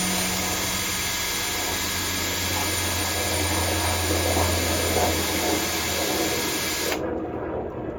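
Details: Cordless drill on a fresh battery drilling out a broken turbo stud in hardened steel on a Caterpillar turbo diesel exhaust manifold, 48 Ocean yacht: a strong, steady high whir with a low hum underneath that holds under load, then cuts off cleanly. Normal drilling at full power.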